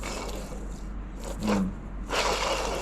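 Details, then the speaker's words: Ford car with almost 50,000 miles, well over 1,000 wheel horsepower, revving near 9,000 rpm on every pull: removed AC compressor turned by hand gives gritty scraping and dragging bursts; inside charred and burnt, seized. "So, this thing is cooked. Literally, this is charred. It is burnt. It is absolutely cooked."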